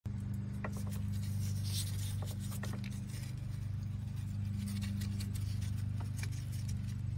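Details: 2007 Mustang at idle: steady low idle with a light, uneven ticking rattle about three to four times a second. Suspected timing chain rattle, caught before it jumped timing.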